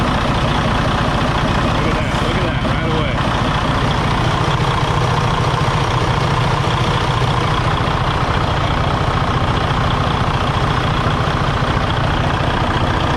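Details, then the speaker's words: Loud, heavy, uneven lumpy diesel idle with a stumbling rhythm from a 2017 Freightliner Cascadia DD15 at about 800-900K miles, with excessive blow-by; low compression traced to damaged number 3 piston and liner. "Yeah, she's definitely running really rough, man. Really rough. All right, guys. So, you can hear that. It does not sound good at all."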